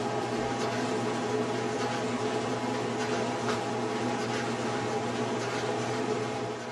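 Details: General Electric clothes dryer running smoothly with steady hum and no knocking after a loose or broken drum baffle was replaced and secured.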